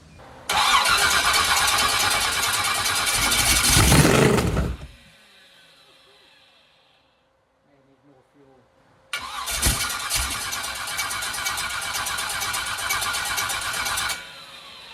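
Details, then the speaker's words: 388 small-block Chevy V8 for a T-Bucket hot rod with vintage Hilborn mechanical fuel injection, first startup after priming the stacks, fuel pressure over 50 psi: fires and runs hard, shuts off, restarts into a loud steady lumpy idle; normal startup. "Try again without fuel leaks. It sounds good. Yeah, it does. I like it."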